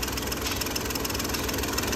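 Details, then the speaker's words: Hyundai Grand i10 diesel with Delphi injectors, previously hunting and knocking with poor pickup and no fault codes: after injector repair, even steady diesel clatter at idle, no hunting or stumble, smooth and healthy. "बिल्कुल engine smooth खड़ी हो गई silent है"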